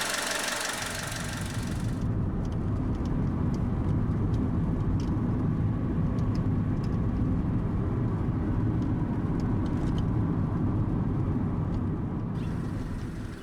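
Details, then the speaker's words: 2000 Honda Civic LX, fully warmed up, driven after a head gasket replacement following overheating: smooth steady engine drone under road noise, no knocks or misses. The EVAP monitor later set and there were no DTCs. Normal running while driving. "all right this thing is fully warmed up running good let's take it out for a spin"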